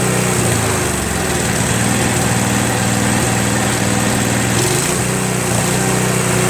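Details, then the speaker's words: Craftsman Trac Plus 23" snowblower, 5HP Tecumseh, after a year's storage: full throttle with choke fully off, pitch dips and recovers, a slight surge that stops with one click of choke; owner suspects debris in the carburetor bowl. "so while it runs really well if you have it on full run the choke completely off there's a slight surge to it you know what I mean a slight surge then you'll just click it one click to the middle and it won't surge anymore"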